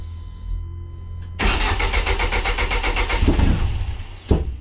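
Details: Turbo Ford Zetec, first start after fuel-leak fixes, flex fuel, new filter, AN lines, 1000cc Bosch injectors and a tweaked ME442 ECU base map, 50 psi oil pressure: about two seconds of even cranking, then it fires and keeps running.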